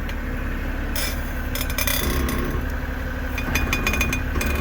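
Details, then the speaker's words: BMW in reverse, rear driveline: drivetrain hum with irregular high-pitched chirps and squeaks, unsure if from flex disc or center bearing; lubing made no difference; found to be worn driveshaft flex disc (guibo). "this is a noise that I kept hearing going in reverse all right so we're not sure if it's this one or the center"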